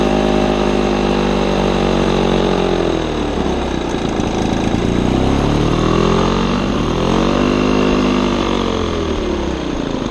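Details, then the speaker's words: Old Lawn-Boy two-stroke mower on mixed gas with the air filter missing: an uneven buzz whose pitch surges and sags every couple of seconds; rough running with RPM hunting. "it runs very rough it switches RPMs quite frequently but everything mechanically works"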